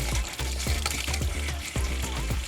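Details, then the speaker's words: Caravan water system with pump on, filling cold then hot lines: irregular spitting, sputtering bursts over low pump hum as trapped air is pushed out of the taps before water runs solid; normal air purging. "You might hear it splurge a little bit as it feeds up through the system. Just pushing the air out of the system."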